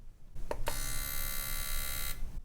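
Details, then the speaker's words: Injector from the 2.5 L four-cylinder 2000 Ford Ranger with a misfire, removed and driven by a tester at 100 pulses, 3.5 ms width: sharp clicks then a clean even buzz; injector firing properly. "you hear the buzzing as the light goes on, right? That sounds good. That's what it should sound like."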